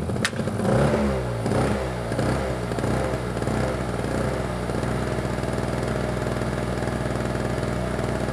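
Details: Tailgater generator with rebuilt top end (new piston, cylinder and carburetor): starts on a little choke with some clatter, then settles into a steady, even running note with no knocks; engine runs healthy.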